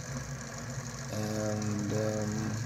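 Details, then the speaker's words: DIY budget 6DOF motion simulator, first power-up with live motors and hall sensors, fans running: steady low electric hum with layered tones while the rig sits still, motors trying to hold position. "okay the noise you can hear are the mods just trying to keep in place"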